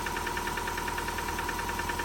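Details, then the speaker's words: 2006 Subaru Forester, first start of a self-rebuilt engine with home-machined heads (the car came in overheated and non-running): a steady idle with an even tapping about nine times a second. It knocks and won't rev; a valve adjustment is suggested, cause unconfirmed. "Well, it won't rev. It's [ __ ] knocking, dude. I mean, I'm happy it runs cuz it didn't run before."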